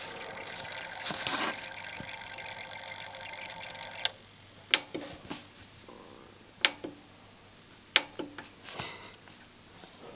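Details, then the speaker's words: Sony TXD-R11 tape deck/CD unit with belts already changed, CD not reading, playing a burnt CD: scattered sharp clicks and short whirs as the laser searches, focus servo running; the disc is not read. "And this is the it's the searching laser. The focus servo is running, but there is no."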